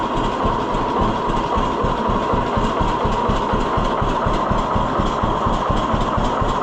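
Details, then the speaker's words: 1948 John Deere B tractor after Wico X magneto maintenance: slow, even two-cylinder putt at about two beats a second, steady with no misses. Healthy idle, lower than it used to manage, credited to a hotter spark. "I don't know why I don't think it would have idled that low before. Yeah, I'm I think I think it did make a difference."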